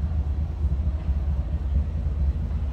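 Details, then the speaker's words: 1949 Dodge Coronet 4-door sedan, 230 cu in flathead inline six, Gyromatic transmission, heard from the rear at idle: steady, even low exhaust rumble with no misses or rasp; quiet stock exhaust, sounds good. "let's look around to the backs and hear this run about you'd expect no crazy exhaust anything like that"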